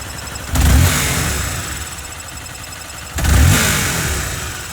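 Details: 2013 Honda CBR250R ABS, 6 months old, 2,500 km, oil recently changed to Honda synthetic. Weird thin metallic rattle from the engine or gearbox, present even at idle and riding over each of two throttle blips. Service center can't find the cause.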